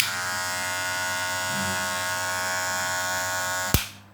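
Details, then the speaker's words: Wahl cordless hair clipper: loud harsh high-pitched buzzing rattle, then cut off; bent spring lever presses the blade down too hard, fixed by slightly bending the lever to quiet it. "Permasalahannya ada di besi ini. Besi ini itu ada tekukannya itu terlalu menekan ke bawah."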